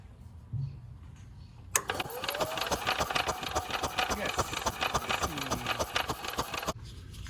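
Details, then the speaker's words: Yamaha golf cart that sat 6–7 years, before jump-starting: starter churns sluggishly and unevenly at about three and a half beats a second, never catching; slow cranking, owner suspects a weak battery, not confirmed. "Not cranking that fast though, but let's see if we got spark next."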